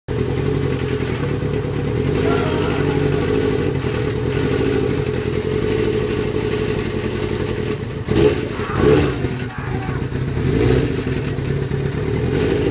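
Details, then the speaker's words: 1998 Kawasaki ZX-6R sport bike engine running steadily with a low rumble and loose clattery bursts near the end; owner hears an unknown odd noise and says it runs strangely, cause unknown. "hear that? What is that noise? And why does my bike run like this?"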